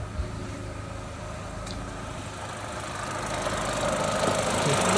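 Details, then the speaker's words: 2018 Vauxhall Adam 1.2 B12XER petrol, intermittent no-start with no fault codes, after replacing failed coolant temperature sensor: quiet, even idle warming up as coolant temperature slowly rises, no misses or knocks; normal idle. "see that striking straight up now just say engine cooling temperature is just slowly rising"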